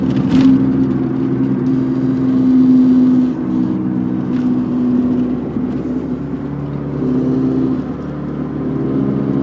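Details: 1991 MG Maestro 2.0i at about 45 mph: a constant low droning hum that has grown louder over three months and with speed. It deepens turning left and vanishes turning right; handling unaffected. Humming while driving.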